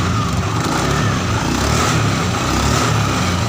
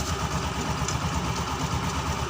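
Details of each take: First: Honda Scoopy FI scooter CVT after repair of a rough noise and sluggish low-rpm power: a steady, even drivetrain drone without roughness or surging; the CVT is responsive again, normal operation. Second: Honda Scoopy FI scooter with a rough-sounding CVT, run with the CVT cover removed and the rear pulley shaft looking fine: soft, even low rumble with no loud harsh noise. The roughness is traced to a worn part on the CVT cover.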